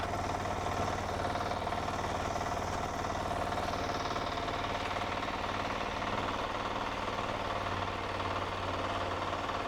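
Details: Diesel power weeder with electric starter, auto clutch, 3 forward gears and 1 reverse, running in a demo. A steady, even chug of about three beats a second with no misses or extra knocks. Normal running.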